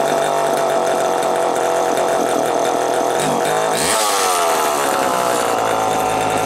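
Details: Homelite EZ Automatic chainsaw after repairs; it previously ran only briefly. Walbro HDC carburetor sorted, new air filter, new Tygon fuel hoses. Steady high buzz, then clean rev-up, staying crisp and even; running well tuned.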